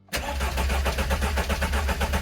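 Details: Engine restarted after 6 years standing, cranked with fuel disabled after coolant bleeding to build oil pressure: even starter churn at about seven pulses a second with no firing; oil pressure warning light then goes out as pressure builds.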